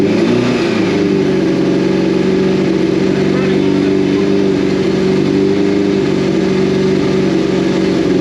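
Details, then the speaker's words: 2002 Yamaha FZ1 1000cc four-cylinder, first start in 8 years after gas tank cleaning and new petcock: steady, even idle holding a constant hum with no misses or stumbles, running on its own fuel. Normal idle. "Heat. That's idling on it. Look at that. It's running on the road."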